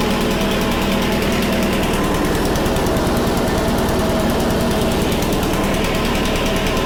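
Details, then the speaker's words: Honda HRC216 commercial mower, first start after drying out and cleaning the carburetor, running on choke in cold weather; a loud, steady, fast single-cylinder chatter without stumbling, normal running (throttle cable not yet working). "let's give it a pull it is on choke see what happens"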